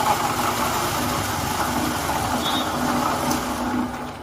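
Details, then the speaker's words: Bajaj Discover 100M engine running with a loud, harsh, gravelly, truck-like roar from worn main crankshaft bearings on both sides; needs bearing replacement and a full engine overhaul. "सुना? यह आवाज तब आती है जब दोनों तरफ के मुख्य क्रैंकशाफ्ट बेयरिंग खराब हो जाते हैं।"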